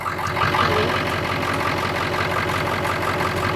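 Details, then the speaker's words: Cheap 7.3 Powerstroke diesel donor engine, cold start after glow plug cycle, no smoke or blow-by pressure: steady, even diesel idle with smooth rhythm, no irregular knocks or misses; healthy, normal idle. "So that's totally normal and really pretty good. Pretty good. It sounds like we need to drive it."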